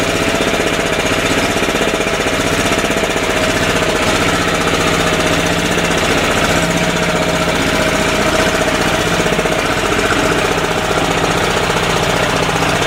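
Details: 10hp single-cylinder LaunTop Yanmar-clone diesel about a minute after a cold start at about -4C. Loud, hard clatter at a steady idle. A normal warm-up; smoke takes about 20 minutes to stop and is heavier at lower rpm.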